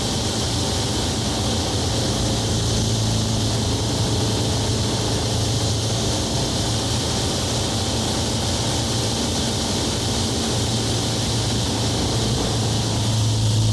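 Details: Onex with turbocharged Aerovee engine in flight, running with the intake hose fallen off its compression fitting, a big intake leak blowing out fuel-air mixture. Steady, even drone under heavy wind rush, no misses, pinging or surging; engine pulls smoothly.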